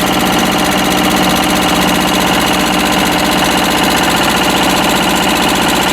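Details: Westwood lawn tractor's Ruggerini twin-cylinder air-cooled vertical-shaft diesel, previously hydrolocked, after repair; steady idle about four beats a second, even and unlaboured, sounds healthy, hopefully now a perfectly working engine.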